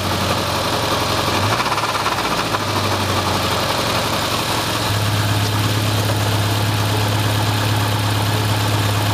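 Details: Subaru Impreza RS after head gasket repair and new timing belt tensioner: idling flat-four with loose, uneven knock swelling with revs, loudest 1000–2000 rpm, traced to the faulty timing belt tensioner; short block not rebuilt.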